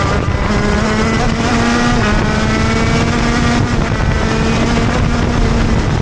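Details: TM Racing KZ-R1 two-stroke go-kart engine on track; screaming pitch sags and stumbles at times instead of climbing cleanly: engine bogs when accelerating out of corners.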